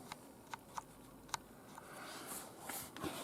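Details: Sharp light metallic clicks at uneven intervals as a Roberts R900 transistor radio is tilted: a loose screw rolling inside the case.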